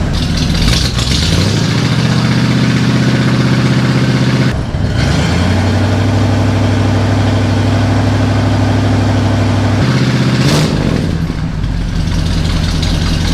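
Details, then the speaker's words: 1977 Chevy C10 after fitting a new LMC Truck exhaust kit with glasspacks: deep steady burble with throttle blips, even pulses, no rattles or leaks; healthy engine, loud exhaust. "all right guys what do you think of that you think it's too loud you think it's not loud enough"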